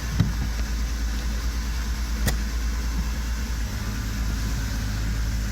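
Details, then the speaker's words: VR6 Golf test drive after repair of drivetrain failure (clunking and lost drive on 4th-to-5th shift), fixed with new bolts and Loctite: steady low road and engine rumble with no clunks; the noise is gone, normal drive. "Just need to take it for a test drive. Right, here we go. Let's see if we fixed it. The noise is gone."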